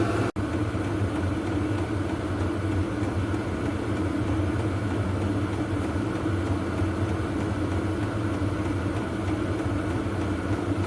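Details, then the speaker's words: VEVOR 8kW diesel heater on auto mode, outlet air measured 54°C, warming uninsulated workshop: constant even low roar with faint steady hum, no surging; exhaust louder than the pump; running properly. "that is the actual air temperature 54c that's on the auto say it's running really well and putting out plenty of heat yeah that's good so that go a long way to warming up the workshop noise wise there's more noise from the exhaust than there is from the pump"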